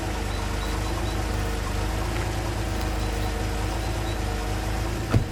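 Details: Peugeot 605 3.0L SV with PRV V6 (petrol): low idle drone with a slightly lumpy, uneven beat; rough running and excessive fuel consumption traced to a leaking fuel pressure regulator diaphragm.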